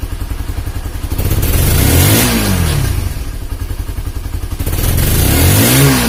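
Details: Honda CB150R after an engine rebuild for a leaking head compression that blew out radiator coolant. A steady firing pulse around four per second rises cleanly through two revs and drops back with no knocks or misses; the engine sounds smooth and healthy.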